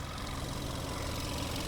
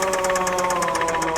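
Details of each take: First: $3,000 Dubai auction car after a full engine rebuild to cure a knocking sound. Even, steady idle rumble with no knock or tick; the smoke seen earlier clears and the engine runs smoothly. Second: $3,000 Dubai auction car, jump-started, engine cranking before repair. Hard, rhythmic knocking about seven times a second over a steady whirr. The crankshaft, rods and main bearings are destroyed from missing oil.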